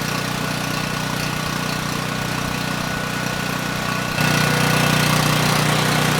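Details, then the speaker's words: Powermate 5000 W generator (engine 185432-0606-E1) running after engine repairs, diode fix and restored residual magnetism: steady, even drone with regular beat, no misses, steps up slightly under load and holds speed; just over 60.5 Hz, making power, normal running. "You know, the engine sounds good, and surprisingly, the engine speed is almost perfect. It was just over 60 and 1/2 Hz."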